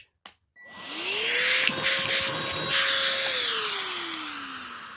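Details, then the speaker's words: Oraimo H3 handheld vacuum with no attachment, picking up dog food: motor whine climbs, holds, then sags and drops in pitch as oversized pieces clog the inlet and airflow chokes. "if you can hear that we still managed to clog now we did get some in obviously there it is but some did clog and you could hear the airflow change"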